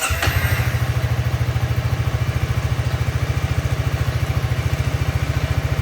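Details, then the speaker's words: Honda Forza 350 scooter, about 2,526 km, after replacing rear wheel bushings to prevent rear wheel wobble: started and revved to check wheel spin; even quick single-cylinder thumping at fast idle, about three pulses a second, no scraping or whistle; normal. "เดี๋ยวผมจะลองสตาร์ทแล้วก็ลองเบิ้ลเครื่องให้ทุกคนได้ดูนะลองเบิ้ลเครื่องแล้วก็ดูการหมุนของล้อว่ามันจะมีอะไรฝืดๆติดๆขัดๆ"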